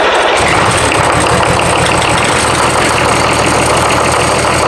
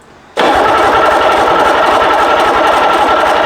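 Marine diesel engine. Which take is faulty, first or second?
second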